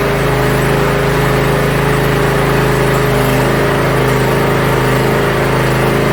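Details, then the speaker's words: Yard Machines (MTD) budget 42-inch riding mower after new starter install and safety switches reconnected: steady, even single-cylinder drone at constant speed, no knocks, misses or surging; functions checked, everything working properly. "so well it looks like everything is functioning properly"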